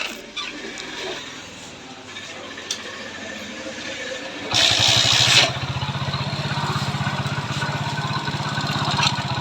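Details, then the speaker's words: Single-cylinder motorcycle after rebuild with new piston, rings, valves and guides, but the timing chain was not replaced: quick, even ticking about four taps a second over a thin idle. Noise comes from the tappets. "तो इसका जो आवाज ए रहा है वह TP से अभी आवाज ए रहा है"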